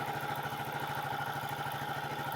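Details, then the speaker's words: Renegade 125cc single after fitting a rockwool-packed baffle into a previously straight top exhaust pipe; steady quiet idle with a soft, even internal tick; normal idle. "yep sounds lovely it sounds like it should the engine is so quiet"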